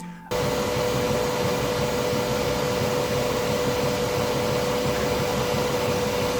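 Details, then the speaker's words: Bambu Lab P1S 3D printer printing at high speed: a loud steady whoosh with a constant mid-pitched tone from the part cooling fan and the fast motion, whose vibration and high-pitched noise is normal but loud. "noise mainly comes from the part cooling fan and the fast-speed printing motion. The fast-speed motion also creates a lot of vibration and high-pitched noise."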